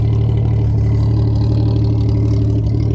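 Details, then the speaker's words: 1997 Jeep Grand Cherokee ZJ idling, with a loose uneven buzzing pulse of about four beats a second on the exhaust note; suspected exhaust rattle, fitted with a Cherry Bomb muffler; separate evap ticking also noted. "The engine in this thing actually runs really good. Sounds like the exhaust has a rattle."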